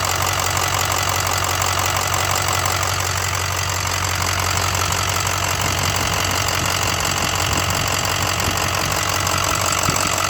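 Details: 2006 6.0 Powerstroke diesel at idle: diesel clatter with a repeating tick or knock about three times a second; lifter tick or rod knock suspected, cause unconfirmed.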